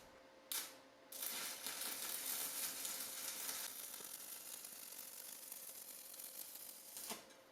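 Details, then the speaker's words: Simder ARC 120M budget multi-process welder stick welding 6013 rod, compared with a smoother S-Welder 211P: crackling, frying arc hiss swells and dips unevenly as the power surges, giving an unstable welding arc. "This one, I got surges. I got surges of power."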